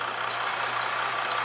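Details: Inverter on ~29–30 V battery, heat gun switched on at 750 W setting (meter reading ~1500 W): thin high-pitched beeps switching on and off over loud fan roar, overload alarm under heavy load, lights dimming.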